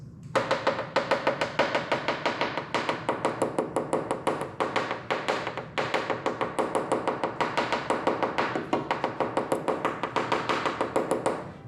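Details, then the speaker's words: Porsche 944 fiberglass rear hatch tap test with a coin: higher pitch where fully compacted, dull sound over voids where layers did not bond (disbond), before drill-and-fill epoxy repair. "And then as you go across, once you get to a void, it's going to create a dull sound."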